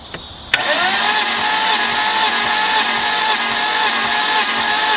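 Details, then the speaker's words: 1998 BMW E36 328is M52 cranking with a compression tester on cylinder 1, reading only about 35–40 PSI. Fast, light crank with faint, even pulses. Low compression from seized piston rings. "oh no see what this is this is uh this is about 35 to 40 PSI well that is uh that's not good so that means that something is wrong with this engine compression wise"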